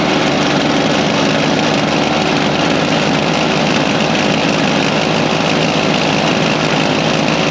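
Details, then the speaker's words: Toro Power Lite single-cylinder snowblower, about 25 years old, started with the electric starter in a garage after the dry-rotted primer bulb was replaced; it holds a steady, even idle with no misses or surging and runs healthy. "well I'd say uh she's back in service that was easy just had to get the part well that was easy just had to get the Bri part so my snow blowers back in service"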